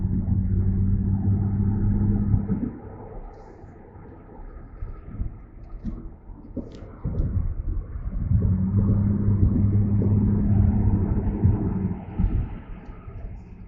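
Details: Mercedes-Benz C300 on a test drive just after front-end work (CV axles, wheel bearings, front brakes), microphone in the back seat: low droning rumble from the rear varying with road speed, about three pulses a second; source still unknown.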